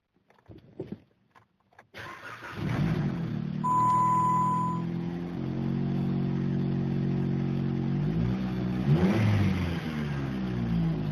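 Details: 2010 Jeep Compass, repaired after a no-start caused by a corroded ASD relay pin and rotted wires in the driver-side wheel well: brief crank, fires quickly and settles into a smooth, steady idle with an even low note; still needs spark plugs.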